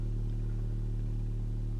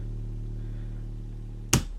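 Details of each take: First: Aiyima P600 bookshelf speaker playing a steady low bass tone with a buzzy overtone and faint rattle, less pure than a comparison speaker. The reviewer thinks it is an air leak at the front; it is the same on both woofers, so not a defect. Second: Aiyima P600 bookshelf speaker playing a bass tone. After switching, the buzzy overtone and front rattle vanish, leaving a pure, deep, louder tone. The rattle is suspected to be an air leak around the woofer phase plug, the same on both woofers, so not a defect.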